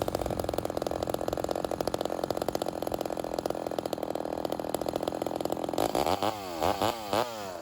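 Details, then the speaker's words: Homelite Super XL 130 vintage chainsaw during carburetor tuning: rapid popcorn-like idle with a few throttle blips, low-speed mixture nearly set; idle checked while tilting the saw on its side for air leaks. Normal idle. "I'm just making sure the idle doesn't change as I tilt the saw on its side. It could be a sign of an air leak."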